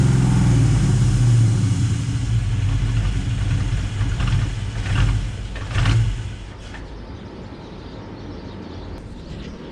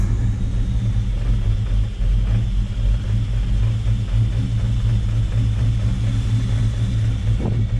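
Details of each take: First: Built 5.0 Mustang GT V8, sitting two years, grounds fixed and PCV valves removed, started but not a proper cold start: deep, lumpy idle with an uneven pulse that wavers and sags. The owner suspects intake leaks cause the rough idle. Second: Built 5.0 Mustang GT, sat two years, running after ground fixes and a battery charge; deep, steady V8 rumble with no misses or knocks; normal idle.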